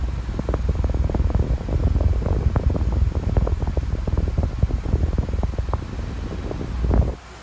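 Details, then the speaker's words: Duracraft pedestal fan, cleaned, running on low speed before oscillation is turned on: an even, soft whoosh with a gentle low rumble and no rattle; normal, quiet fan. "you can definitely like hear that it's pretty quiet"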